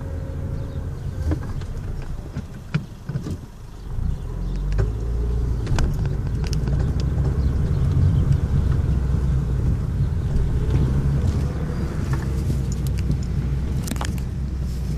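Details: Honda Civic driving forward while turning right: scattered sharp clicks at irregular moments over road and engine rumble, happens rarely; some suspect the CV joint, but it was replaced within the last 20,000 km; cause unconfirmed.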